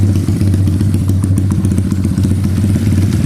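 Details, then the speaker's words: SSR 110cc full-manual pit bike idling fast after a valve adjustment; one adjuster had no lock nut and about 30+ thou clearance, now set to proper lash. An even exhaust beat with no valve-train ticking, the earlier rattle gone. "so we did a valve adjustment got a proper valve lash and now it doesn't have that battled noise anymore"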